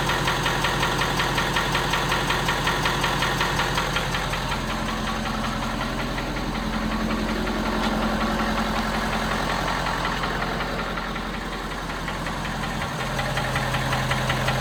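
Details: 2017 Ford F250 Power Stroke diesel cold start: sharp regular knock about two to three per second over diesel clatter at cold idle, subsiding as truck warms; cause unknown.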